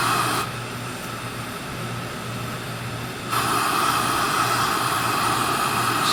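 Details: Older Coleman 502 single-burner stove, which runs on white gas or gasoline and has fewer BTUs and more noise than the 508: steady, even hissing roar with a low hum and no sputter or popping; burner running cleanly.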